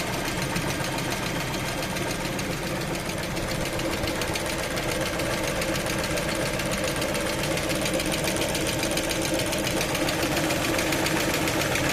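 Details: Lada Vesta engine, cold, warming up: a steady, fairly quick ticking knock over the idle that holds even through the clip; an engine knock during warm-up.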